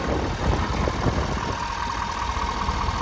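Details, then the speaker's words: 2022 Ford F250 Limited, 6.7 L diesel, idling through its warm-up sequence: a steady, even diesel clatter that settles with a little throttle, with no misses or extra knock; a normal idle. "And it's doing that little warm-up sequence there. I'll give it a little gas to quiet that down real quick."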